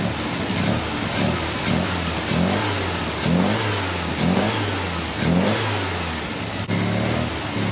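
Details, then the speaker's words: 1974 MGB fitted with big carb jets, warmed up: ran well on choke, but with choke off it surges and sags about once a second with pops, backfiring out the intake; blown intake gasket vacuum leak. "When the choke was on, it was running very, very good. Way better than it's ever been. But as you guys saw, once the chokes opened, it started backfiring out the intake."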